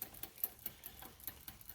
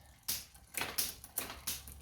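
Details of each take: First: Hybrid bike rear derailleur after a new cable: steady light clicking, about five a second, as the chain is caught between cogs after a hesitant upshift; the cage doesn't move far enough, and it is fixed by barrel adjuster tension. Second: Next Avalon 26-inch hybrid fitness bike after restoration: cleaned, fresh grease, new cables and gear adjustment. Rear wheel spin test gives rapid, even pawl ticks blurring into a smooth whir. The drivetrain runs freely and sounds healthy.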